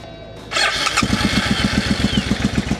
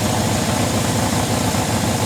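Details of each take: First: Sketchy Suzuki motorcycle on a new fuel inlet line fed from a bottle. It cranks, catches and runs lumpy on only one cylinder, then is choked. The fuel pump is not heard running, so a fuel supply fault is suspected. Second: Suzuki GS750 motorcycle, about 23,000 miles, first run after sitting, being run out of gas: even steady idle with regular low pulse, no misses, knocks or hunting; runs normally, may need valve adjustment.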